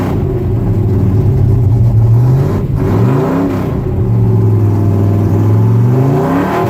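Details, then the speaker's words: 1966 Ford pickup V8 revving after replacing the bank 1 exhaust header gaskets: revs rise and fall smoothly with no ticking or puffing, and the exhaust leaks are fixed. "No more exhaust leaks. Awesome."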